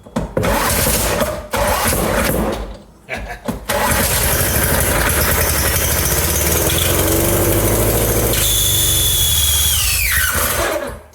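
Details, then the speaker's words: 1975 Briggs & Stratton 3hp horizontal-shaft engine, 8 cubic inch, first run attempt: choppy cranking catches into a rough loud run, then a high screaming squeal rises and falls; it runs, squeal cause unclear. "oh that sounds screamy but it did run"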